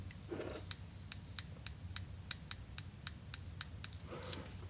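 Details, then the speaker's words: 2000 Honda VFR 800 fuel injector, removed with the throttle body for cleaning, is pulsed from the battery through alligator clips: about a dozen crisp, sharp clicks, roughly three a second, showing the injector solenoid works. "hook one up to the injector we'll touch the other one up there and see if it don't click and it does it does"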